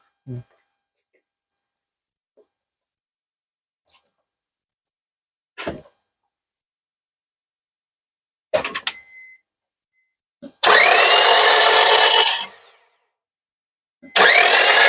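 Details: 2005 Honda Civic 1.7 D17A1 at 307,996 km cranking without starting after oil pan and valve cover gasket replacement (ran 10 seconds then stalled); fast, smooth spin with no compression beats, never catches; timing belt suspected missing, no compression on cylinder one.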